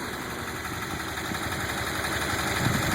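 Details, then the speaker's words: 1986 Jeep CJ7 258 straight six, Weber 32/36 carb, ceramic-coated header, just after cold start: quick, even idle with steady rhythm and no misses or knocks; returns to a very smooth idle, healthy. "as you can hear she's healthy it goes right back down to a very smooth idle"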